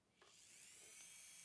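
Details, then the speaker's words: JSDA JD8500B dental/manicure micromotor drill after its broken DIN connector was repaired: high, clean whine rising smoothly as the motor spins up and settles at speed, with no rattle or cutting out; the motor is healthy. "and as you can see it's working absolutely beautiful"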